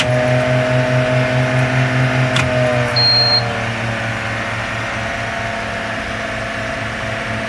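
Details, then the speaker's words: 2004 International RE300 school bus, T444E 7.3 diesel, rear engine, 90,000 miles, cold start in the 30s°F with snow: steady cranking chug about 2.5 beats per second, stops without firing; almost started, owner adds more glow plug time, unsure of their condition. "Here we go. She's a-cranking. She almost started. Give her some more glow plugs."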